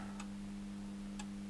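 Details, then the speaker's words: JSI-1500TL 1650 W grid-tied solar inverter on the bench at about 80 V DC input; two crisp relay clicks over steady mains hum after grid verification, relay pulls in but output reads 0 W, cause unknown. "relay is clicking saying normal that's good it says power on one side we're getting zero Watts point zero Watts I don't know what's going on there"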